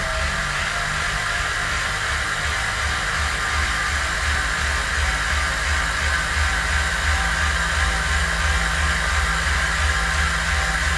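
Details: Bicycle on a wheel-on indoor trainer with an Elite Coperton trainer-specific tire after standard Continental 5000 comparison: even steady hiss and hum, smooth rolling beat, no squeal or slipping; running normally.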